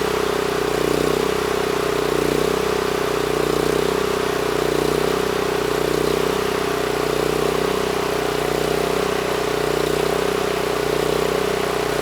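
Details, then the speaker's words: NorthStar 8000 PPG generator with a 13 hp Honda GX390, refueled, set screw adjusted to about 61 Hz (target about 61.5 Hz): even constant-speed hum holding one pitch for twelve seconds, no surging or hunting; normal running. "so that set screw is pretty much in the right spot you know I just loosened up the nut moved the throttle up against it and that brought us up to 61 Hertz so that was pretty close"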